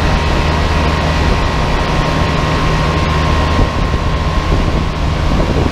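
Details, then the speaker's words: Giant Trane Intellipak rooftop unit, GoPro placed near compressors: steady low hum with constant mid-pitch tone, no knocks or rattles, one large Trane scroll compressor just started, running normally and loud. "yeah it's just this one compressor here that turned on i guess we'll wait for the others pretty loud"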